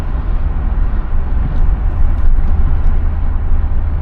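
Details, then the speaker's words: 1981 Chevrolet Caprice Classic two-door full rag driving on a cold day (about 40 degrees): deep steady rumble with road noise, pulling decently, motor sounds good, no squeals, knocks or rattles; normal running. "She's pulling pretty decently. Motor sounds good. No crazy squeals, rocking or anything like that."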